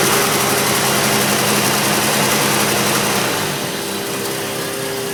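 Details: Turbocharged Chevrolet S10 pickup idling with a steady rapid knock of about three beats a second over a bright hiss.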